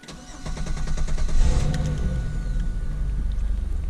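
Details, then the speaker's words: 2000 Camaro 3.8 V6 after replacing the starter for a slow-crank / no-crank-when-hot problem. Brisk cranking with the same rhythm and power throughout, catching within about a second into a smooth run; much better than before. "well that was a much better start than before if you heard the starter was same Rhythm same power the whole way through"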